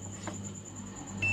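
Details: LG Turbo Swing 21-inch CRT TV, totally dead and making a cit-cit-cit sound from the switching transformer: a continuity test across the B+ electrolytic line gives a steady high beep. The B+ line is shorted, with the fault in the secondary section.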